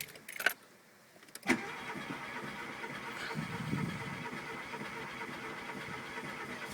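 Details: Mk2 VW Golf GTI 8v that starts first time but struggles under load and stalls: a couple of clicks, then steady cranking that never catches. The engine turns over after stalling but will not restart.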